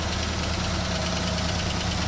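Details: 1967 Buick GS340, first start after replacing a debris-clogged water pump for overheating. Steady idle with a light, fast ticking over the low rumble: hydraulic lifter tap.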